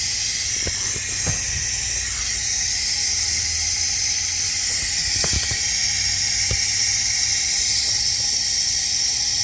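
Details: Ford 6.0 Powerstroke with dummy plugs, stand pipes and FTC fitting upgrade, long crank no start when hot, valve cover off, engine not running: steady sharp hiss with a few clicks, air leaking past an injector.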